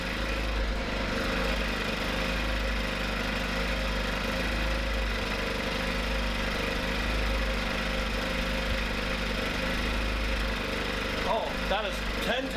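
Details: Small generator engine on the first pull: a constant, steady drone with no surging or stumbling, after brief slight hunting at start; the idle is fixed and runs smoothly.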